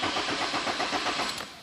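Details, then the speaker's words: 2006 Nissan Altima 2.5L, engine previously replaced at another shop. The starter spins the engine with a steady churn but it never fires: crank, no start. The crank sensor was suspected, and powers and grounds were checked instead. "we're going to try to turn it on right now and it's going to it's going to crank but not start"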